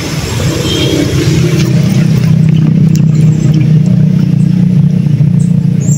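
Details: Newly installed shallow water pump with bladder pressure tank, just wired and switched on, heard at the pressure tank: steady low hum at even pitch with no rattle, surging or cavitation as water enters the tank; normal running.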